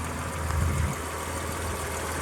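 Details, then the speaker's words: Breeze XR6 2.5 Aggressor just started after 5–7 years sitting, no coolant yet: soft, steady idle with a low even hum and no ticking or misfire; the engine runs smooth and quiet. "And listen how smooth and quiet that is after sitting for so long."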